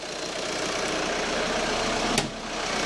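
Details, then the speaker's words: 2011 Kia Sportage 2.0 CRDi diesel just after a fuel filter change, started with little extra cranking: even diesel clatter at a steady idle, no misses or hunting; normal diesel idle. "we're just going to jump in and fire it up make sure it ticks over okay might take a little bit more cranking over than normal actually that wasn't too bad"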